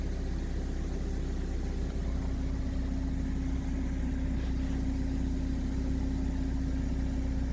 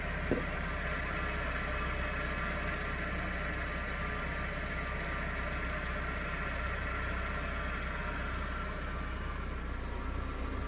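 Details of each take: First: Toyota rear-wheel-drive car, rear wheel turning after the noisy rear wheel bearing was replaced: smooth, even hum with no growl or grinding; new bearing makes no noise. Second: Toyota rear wheel bearing (RWD axle) with caliper and brake disc removed, pads worn out: steady low rumble and drone as the rear axle spins freely; noise grows with speed, bearing worn and being replaced.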